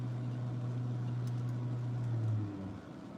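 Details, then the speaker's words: Rivian towing a Range Rover toward Colorado Springs: a steady low hum under road noise stops abruptly near the end as the AC compressor appears to shut off completely; cause suspected, not confirmed. "whoa, you hear that? AC compressor just completely shut off? So good night. Yeah, it was going zzz and then dead."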